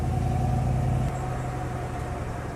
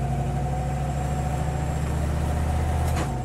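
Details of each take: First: Street-driven car with a brand-new Rossler 3-speed transmission, which isn't downshifting: engine drone drops in pitch with one firm clunk at the upshift. Normal crisp, strong shift feel. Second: Street-driven car with a Rossler transmission: engine drone drops sharply with one abrupt clunk at the gear change. Harsh shift, owner wonders if it will ease with break-in miles, cause unknown.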